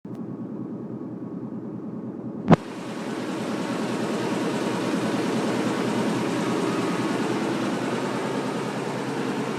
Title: Washing machine making noise